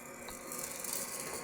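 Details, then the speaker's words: Gene Cafe coffee roaster on first use, set to 230 and just started: soft light rattling as the drum turns while the wiper blade swings gently then flops over onto its rubber bumper; normal drum rotation noise. "You can hear the wiper blade, which sort of swings gently one way and then drops, sort of flops over quite suddenly the other way, hence the rubber bumper which slots into the blade."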